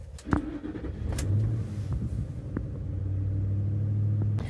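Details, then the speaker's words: 2004 Ford F-150 5.4L with lean codes P0171/P0174, fuel trims +86: idle around 1,000 rpm, slightly high, steady low rumble with occasional misfire-like stumble turning very rough; vacuum leak, O2 sensors flat. "You can feel it maybe misfiring every once in a while, but it's not too bad. Oh, now it's really rough, super rough."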